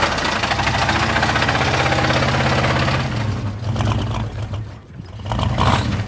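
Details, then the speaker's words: Blown engine on a mildly chilly start: heavy rhythmic deep banging over rough idle, about 200 a minute; owner says definitely a rod knock, though it still makes oil pressure. "I mean it's making oil pressure so why would it be banging that just make an oil pressure"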